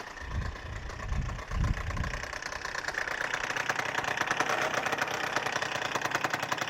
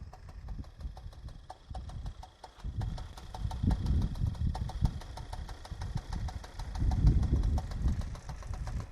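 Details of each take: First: Freshly rebuilt Suzuki Address 110 scooter (Japanese parts), being run in, developed a rattle on a hot-day ride; it starts first pull, smokes from generous oil, and idles with a fast metallic knock from the magneto side. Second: Suzuki Address 110 scooter after repair, idling steadily with soft uneven pulse and body vibration; metallic knock gone. Knock was caused by stripped crankshaft thread on the generator side letting the rotor (magnet) rattle; variator also rebuilt with Kitaka parts.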